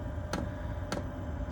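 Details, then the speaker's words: Chinese diesel heater with blue controller during startup after glow plug warm-up: sharp even ticks about every 0.6 seconds over a low hum as the dosing pump starts putting fuel into the burn chamber; normal. "which when you hear the ticking, that's basically the pump starting to kick in and put some fuel into the burn chamber."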